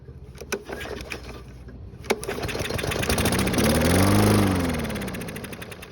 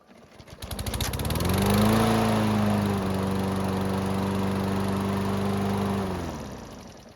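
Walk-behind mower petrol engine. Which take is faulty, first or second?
first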